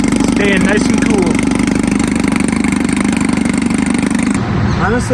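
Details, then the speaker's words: 1954 Evinrude 7.5 HP Fleet Twin outboard, sat for years, revived with new coils, cleaned points, rebuilt carb; running with hood on: crisp, even two-stroke buzz at steady speed, no misses or knocks; normal running. "I'm really surprised with how well this thing runs. It's been sitting for years and with a little bit of maintenance, a few new parts, it's up and running again."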